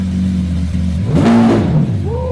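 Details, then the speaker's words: Wrecked, rebuilt Lamborghini SVJ V12 started with no exhaust fitted and lambda sensors disconnected: very loud open-pipe blip once, then falls back to idle. Revs limited by engine management because of the missing lambda sensors. "So it won't let us rev it because of the no Lambda sensor issues. That was loud."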